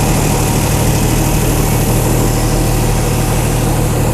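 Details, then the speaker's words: Chrysler 225 Slant 6 generator engine newly fitted with Holley Sniper EFI, first startup: smooth, even low idle around 700 rpm with no knocks or misses; it idles healthily. "was a pretty good startup huh engine RPM 700 something"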